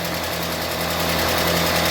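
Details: UAZ Patriot engine just rebuilt, first cold start with oil pressure gauge fitted: fast, even ticking clatter tracking engine speed at idle as hydraulic lifters have not yet filled with oil; cold oil pressure not yet meaningful.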